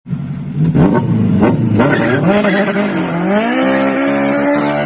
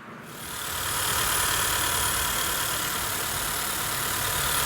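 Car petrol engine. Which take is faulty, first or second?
first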